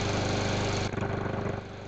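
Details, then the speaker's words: Craftsman lawn mower, previously non-starting, after carburetor cleaning and rebuild kit: small single-cylinder runs with steady even putter, no misses or knocks; normal running. "well there you have it a little bit of carburetor cleaning and a carburetor rebuild kit and that's what you got it fired right up"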